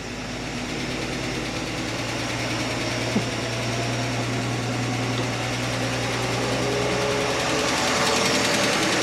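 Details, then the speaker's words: Chevy Nova straight-six at steady idle after exhaust manifold donut replacement failed to fix the noise: light, quick ticking about four per second in time with the engine; owner suspects a lifter tick, actually a loose rocker arm. "There's still a tick there. It could be a lifter tick now. It could have been that the whole time."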